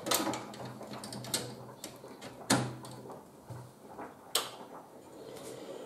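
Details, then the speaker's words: Retro PC booting with a Paradise EGA card after its tantalum capacitor was replaced: a few sharp mechanical clicks and short drive seeks, all the right startup sounds, so the card works. "and indeed those are all the right sounds so it looks like we have a working ej card"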